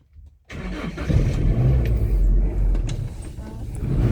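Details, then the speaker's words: Toyota Kijang LX 2002, dry engine: quick crank, catches at once and settles into an even, steady idle with no knocks or stumbles; seller says engine is smooth and ready for out-of-town trips. "Nah, mesinnya pokoknya halus lur. Mau jarak dekat maupun jauh, mau luar kota juga siap."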